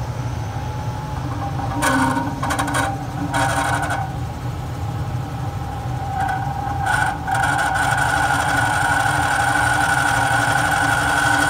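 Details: Carrier Weathermaker 800 TS furnace: steady motor hum with a rough, scraping grind flaring in short bursts; the blower motor is failing and needs replacement.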